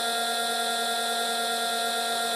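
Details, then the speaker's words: Cheap eBay campervan inverter, 4–5 months old, with an electrical burning smell: steady high whine, fixed pitch, no load change. Owner believes it is on its way out, may catch fire; plans to replace it. "And I've only had it for 4 or 5 months, and I used it for a couple of months at a time, so it's pretty much on its way out."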